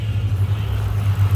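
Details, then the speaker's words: 2006 Ford Mustang GT, 4.6 three-valve, about 138k miles, after replacing one VVT solenoid for a P0022 correlation/misfire issue, with the passenger side still pending: a deep, steady idle with the earlier ticking gone. "I don't hear any ticking that sounds a heck of a lot better to me"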